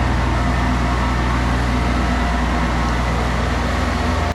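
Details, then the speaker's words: 40-year-old Kubota F2000 front-mount mower, three-cylinder diesel, after restoration, mowing thick wet grass without bogging: steady low clattery beat at even speed, no misses or knocks until shutoff. Normal diesel running. "The power on this thing is insane. The 16-inch deck just powers through thick, wet grass without ever bogging down."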